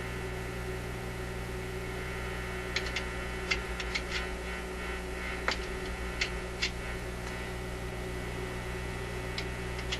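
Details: Zenith Y825 vacuum tube AM/FM radio, working 6 months earlier, after sitting on a shelf; on FM, possibly no antenna connected. Steady low mains hum and buzz, faint crackles and ticks, no station received; cause not yet found.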